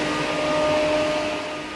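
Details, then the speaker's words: Car radiator fan as 12V off-grid bathroom exhaust fan, after removing a wood splinter that was rubbing: steady airy whoosh with constant motor tone, no ticking or scraping; somewhat noisy but running normally. "Bit of a noisy fan obviously, but um that will help cover up the sound of cannon fire if you know what I'm saying."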